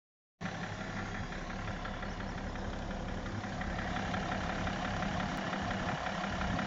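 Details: BMW E60 535d diesel at idle: steady fairly quick knock, about four per second, riding over the diesel clatter; source of the engine knock unknown, owner unsure what is causing it.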